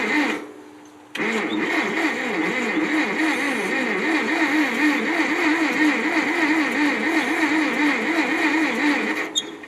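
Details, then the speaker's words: 1957 Ferguson TO35 tractor, non-running, reportedly last ran 10 years ago, oil put in cylinders, carb cleaner sprayed into carburetor: steady starter churn about four compressions a second, no catch or sputter; cranks but never fires. "put the spark plugs back in hooked everything back up um sprayed some carb clean in that carburetor turned it over a few times and nothing happened"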